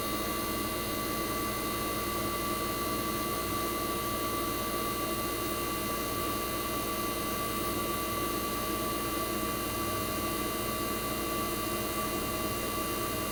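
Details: 1965 Fedders Weather Wheel air conditioner's 1960s reciprocating compressor running after first cold start of 2023 in a very cold shop: steady even hum, constant fixed tone, no knocks or rattles; compressor warm, head and suction line ice cold, operating properly.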